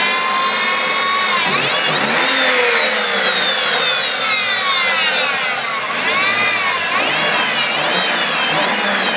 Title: Trailblazer Whining Noise Solved Idler Pulley